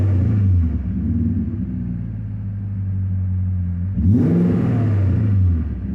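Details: BMW M60B40 V8, 404 DME chipped with 7k rev limiter: revs blip up then sag back slowly and hang before settling into a lumpy idle; owner suspects vacuum leak, unconfirmed.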